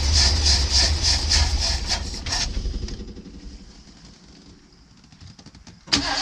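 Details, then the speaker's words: Custom 1979 Ford Pathfinder Quadravan 4x4 with a new carburetor runs unevenly a couple of seconds on hand-poured fuel, then fades and stalls. Owner thinks the fuel pump has failed because it only runs on whatever fuel he puts in. "Well, I think it needs a fuel pump because it only runs on whatever fuel I put in it."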